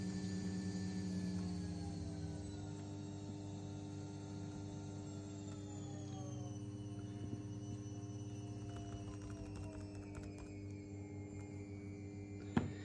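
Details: Two PWM fuel pumps driven by a fan speed control module at 95% duty: steady electric hum with a slow, uneven waver in pitch; pump speed oscillates rather than holding steady.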